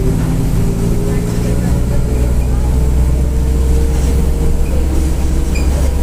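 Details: Onboard 2007 Mercedes-Benz OF-1722M bus with Marcopolo Torino body, Grande Londrina fleet 1110, line 505, Feb 2023, cruising; deep steady drone with constant low hum over engine, worn roaring differential.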